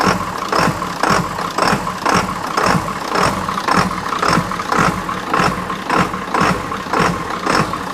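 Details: 1997 Ford F350 7.3 turbo diesel, first run after new starter, batteries and wiring fixes: diesel idling with steady rhythmic clatter about twice a second, no stumbling; normal idle. A fuse keeps blowing, cause still to be found.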